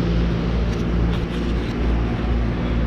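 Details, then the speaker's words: Outdoor AC condenser after replacing noisy contactor (single pole with shunt, 24 V coil): runs smoothly with steady low hum and no buzz or chatter; old contactor was the noise source. "okay so I've turned it on and it's nice and quiet so that was making the noise"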